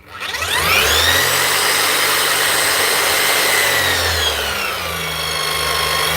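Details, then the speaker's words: Bosch machine motor after repair, oil added, checked that fan and air deflector don't rub: spins up fast to high steady whine at full speed, even pitch with no rubbing or scraping; healthy. "That's her, up and running."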